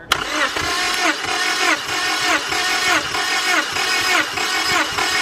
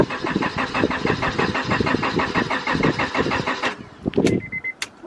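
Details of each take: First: 5th-gen Honda Prelude BB6 with H22 engine, cranking during a cylinder-by-cylinder compression test: steady, even compression pulses about one and a half per second, no weak beats; compression about 170, a healthy engine. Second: Auction-bought 5th-gen Honda Prelude BB6 of unknown running condition, first start attempt: starter spins the engine about five even turns a second for nearly four seconds, then clicks and quits without firing; fuel delivery later found lacking.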